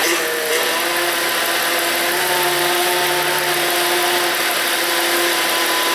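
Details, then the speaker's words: Volvo 3.2L inline-six after power steering pump replacement, fluid no longer foamy: idling evenly while the wheel is turned lock to lock, the tone stays steady with no pump whine or groan; steering sounds healthy. "So what I'm going to do now for the camera is turn the steering wheel from stop to stop and see what it sounds like."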